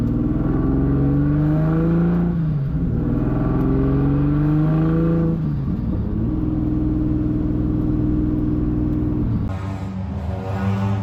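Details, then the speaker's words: 1.5JZ-swapped Corolla drift car run low on oil with compression loss: engine revs and settles with a lumpy, uneven off-beat burble, down to about three cylinders. "she's uh back to about 3 cylinders I think and yeah it's not sounding the best"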